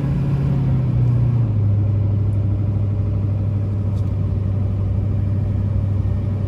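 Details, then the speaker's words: 2006 Silverado 2500HD LBZ 6.6 Duramax, 91k miles, Allison six-speed, accelerating uphill: deep steady diesel drone, pitch steps down cleanly on upshift with no hard shift, hesitation, flare or slip; normal. "we'll head up the hill you can hear the lbz run as well as the allison six speed run through the gears here how it doesn't shift hard hesitate or slip at all"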